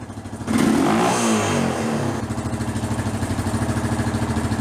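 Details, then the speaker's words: Honda TRX350TM Rancher 350 ATV, ridden hard, smokes, poor carburetion, filthy air filter; single cylinder revs then lumpy uneven idle with loose metallic clatter each beat — worn top end and cam chain rattle, top end likely needed. "This thing's kind of beat. I'm going to guess the looks of this air filter right here, this thing needs a top end."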